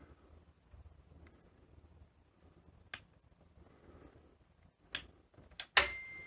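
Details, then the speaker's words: Philips VR2023 V2000 video recorder from around 1981, slow older logic: near silence with faint motor whir, then sharp clicks and a closing clunk as the cassette loads; normal tape loading. "this is having a bit of a think obviously the logic's a little bit slower on these older machines"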